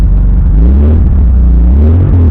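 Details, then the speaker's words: 1971 bus air-cooled engine idling in neutral, just started cold; steady low drone with faint gearbox whirring, not from throw-out bearing (clutch disengaged); owner suspects a transmission bearing, planning to pull and rebuild the transmission. "So listen to this transmission. When I take it, it's not when I have the throw-out bearing in, so it's not throw-out bearing."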